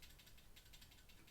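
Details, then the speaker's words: ZSA Moonlander keyboard, large red triangular stabilized thumb key before modification: light quick clicking rattle as the key rocks under the finger; loose stabilizer wire chattering in its housing. "Now, the first thing that irked me a little bit is these big, fat red buttons here. Just a bit rattly."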